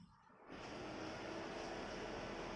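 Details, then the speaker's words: Kia Picanto automatic, radiator fan motor actuated via Kia GDS scanner with engine off: silence, then fan kicks in and settles into a steady, even whoosh with no rattle or scrape, pulsing about 5 seconds; fan working normally. "Nah, di fan blower nyala ya. Dan setelah berapa detik mati sendiri ya, 5 second dia mati."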